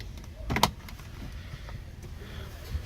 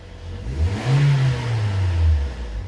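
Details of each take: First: 2013 Toyota Corolla 1.8 16-valve flex-fuel with CNG, after alternator replaced with new pulley for belt noise on acceleration: quiet idle, then a couple of rising revs, no squeal or chatter from belt side; noise gone. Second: 2013 Toyota Corolla 1.8 16-valve flex-fuel with CNG, automatic, customer reports noise on acceleration, A/C on: engine revs and falls with low droning whir as throttle closes, horrible belt-area noise.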